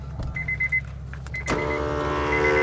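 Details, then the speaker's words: Roadmaster supplemental brake unit under the driver's seat of a 2010 Honda CR-V flat-towed behind a Class C motorhome: a few chirps, then a small electric motor whirs steadily as its pulley pulls the brake pedal. Applying and releasing normally. "that's it that's the brake being applied it basically there's a pulley here and it pulls it presses on the brake pedal release the brakes go and that's how it works"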